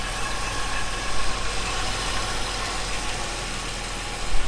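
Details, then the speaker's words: 1978 Jaguar XJ6 Series 2 barn find, warmed up, idling about 800 rpm: thin metallic whirring with light tapping rattle at the front; owner wonders about the water pump, cause unconfirmed. "we still got this funny little don't know if you can hear it there it's like a very metallic sort of woring noise um and a little bit of a tap it rattle"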